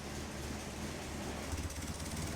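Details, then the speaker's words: Caterham Super Seven 1600GT Sprint, 1.6-litre, 27 years old, with silencers fitted in its bare mufflers, idling steadily with a smooth low rumble and the radiator fan whooshing constantly; normal idle with radiator fan running. "you don't have to worry about overheating, so you can keep the engine idling, or rather, running."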